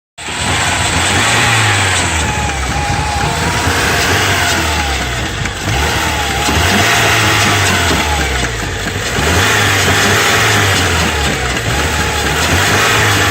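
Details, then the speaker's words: Car that won't start, after loose battery terminals were replaced; injector and pump fuses are good. The engine catches and runs roughly for seconds, revs sagging and recovering every two to three seconds as if starved. Owner suspects the fuel system. "like pumping the gas off and on, starting and restarting, and this is the best we can get it to run. And it only lasts for a few seconds, but he keeps turning the ignition off and on again to keep it going like this."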